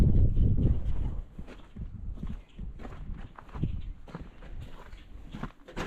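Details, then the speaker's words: 1979 Chevy Suburban that sat for a while, started by push-button starter wired to the coil: loud start then lumpy, uneven low thumps, rough and loud with no major knocking; owner thinks it needs plugs, plug wires and carburetor rebuild. "I said does not sound the best but no major uh knocking or anything like that so she might be all right with a tune-up probably definitely needs plug wires plugs carburetor gone through for sure"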